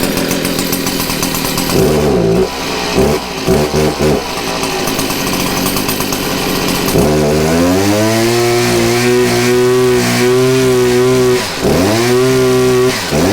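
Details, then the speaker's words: Stihl HS 81R two-stroke hedge trimmer, low on power and constantly blowing blue smoke, started on choke, sputters then climbs to a strained buzz that dips and never reaches full revs, running rich with heavy smoke: plugged exhaust spark arrestor screen. "so that's pretty much what it does it gets pretty decent but not all the way um and as you can tell there's a lot of smoke"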